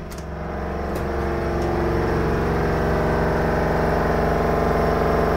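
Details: LG WVC9-1410W washer dryer: loud droning whir from the spinning drum with a heavy rhythmic thrum. Repair technicians repeatedly reported an issue with the suspension rods as the cause.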